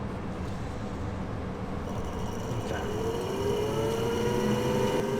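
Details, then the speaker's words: Carrier furnace switched back on: steady airy rush with a low hum, then a tone rising as a motor spins up; blower motor runs 90 seconds as a normal pre-purge cycle before the inductor motor starts. "lo primero que hacen las calefacciones carrier es prender el motor del soplador durante 90 segundos antes de hacer otra cosa. Es como un ciclo prepurga."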